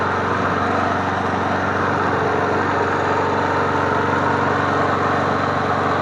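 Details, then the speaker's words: MTD Bolens push mower 11A-414A065, revived and cleaned, started after priming three times to warm up before an oil change: small single-cylinder engine holds an even, steady buzz, no misses, knocks or rattles; runs healthy. "Prime it 3 times for a good time. It sounds good. What do you guys think?"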